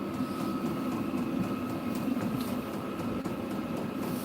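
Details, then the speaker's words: Diesel-powered heater in a dog kennel: steady even whirr with a faint constant tone near 1 kHz and a smooth fan rush. Running normally. "it's a diesel powered diesel powered heater that's the intake to"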